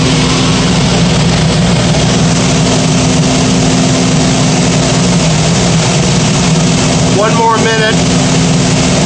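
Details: Gas power burner on one of two ganged steam boilers, oil-converted, with new 24" Field barometric draft regulator. Switched to manual override: relay clicks, then about 1.5-minute purge before low then high fire. Loud, even blower roar, steady hum, no surging; normal purge.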